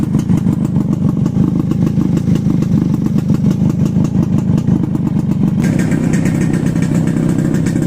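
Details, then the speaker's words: Two-stroke chopper after exhaust rework to reduce rasp: steady, even low popping pulse at relaxed idle, no rasp or misses; healthy, mellow, quieter exhaust note. "They always say a two-stroke has to make a lot of noise to run. You know what? I'm gonna have to disagree. That sounds nice."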